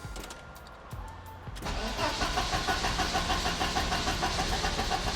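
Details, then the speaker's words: 1986 Porsche 944 Turbo, engine just reinstalled, DME temperature sensor unplugged: long crank, then the engine stumbles to life with a lumpy, uneven beat. The DME reads it as freezing cold and overfuels, wetting the plugs and blowing white smoke of unburnt fuel. "as you can see the car dumps out white smoke which is actually unburnt fuel from it over compensating with the sensor unplugged"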